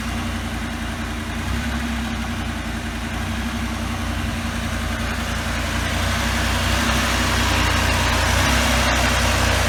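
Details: 1984 Pontiac Trans Am Firebird V8, 5-speed, barn find, hard cold start, first start in years: deep, steady burble at cold idle, fairly even beat, no obvious knock.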